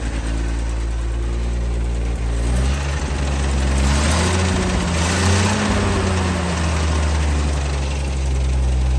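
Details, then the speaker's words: Lull fitted with salvaged Mopar slant six electronic ignition module and distributor, timing retarded with timing light after advanced timing caused high idle; steady strong low rumble, even firing about four per second, slight rev lift: running strong. "that electronic ignition oh yeah running pretty strong"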